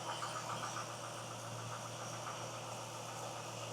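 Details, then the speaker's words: 2000 Chevy Camaro SS after power steering pump replacement (old pump leaked and whined), sensors reconnected, going into closed loop: quiet, steady idle, no ticking, knocking, pump whine, belt squeaks or rattles. Normal idle. "I don't hear any concerning sounds."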